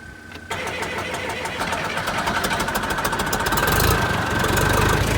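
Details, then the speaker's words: John Deere 401D tractor diesel that stalled, cranking after water was bled from the fuel system: the starter turns it over at about 200 even beats a minute, rising as it tries to catch. Hard-starting diesel; it will not run with air in the system. "diesel engine will not run with air in the system"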